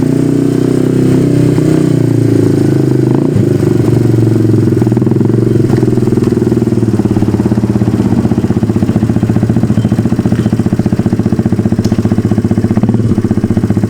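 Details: 1991 Yamaha Moto-4 250 ATV, a single-cylinder, running: loud, raw, blatty bark with a fast popping exhaust pulse and no knocking underneath. The muffler is rotted away to nothing.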